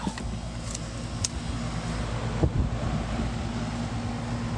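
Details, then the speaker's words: Home HVAC unit model FB4ANF030, thermostat set to about 66 to start cooling, after a burnt lead connector was replaced; steady low hum with a faint constant tone under the fan rush, compressor running while the cooling fault remains undiagnosed. "right now it sounds like a condenser sound without question that's not just the fan that's definitely condenser"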